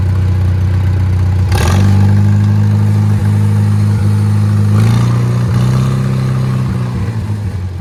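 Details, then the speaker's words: Old Farmall tractor after service, jump-started with an uncharged battery: loud, even low rumble at a steady beat, speeding up around five seconds, no misses or knocks; running better, owner suspects worn spark plugs caused the earlier dying. "She's running a lot better than last time too. I bet you it was them spark plugs, because they look like crap. Sounds good to me."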